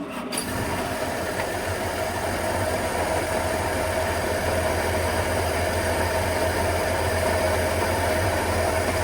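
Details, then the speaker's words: 1950 Studebaker Champion, started with plain water in a cooling system full of floaters: fires quickly and settles into a steady, even, sewing-machine-like idle. Water circulates and the radiator warms. "I mean it still sounds like a sewing machine doing Mach but how are we looking in there water circulating"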